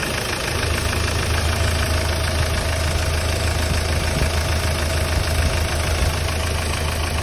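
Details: Hyundai Starex D4CB diesel idling during a check for suspected blow-by: even clatter at a steady idle, no misses or heavy knock over the rumble; no smoke from the dipstick tube or breather, so the engine sounds healthy.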